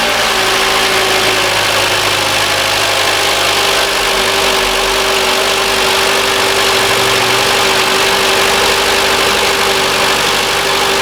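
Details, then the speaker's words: 2013 Mitsubishi ASX 1.8 petrol, CVT, FWD, 448,000 km, after the faulty alternator pulley was replaced. Cold engine at a fast, steady high idle with an even hum and no tapping, squeal or rattle; normal. "Сейчас обороты высокие, двигатель холодный, поэтому прогреваю, смотрю. Но в данный момент никакого постороннего звука нет."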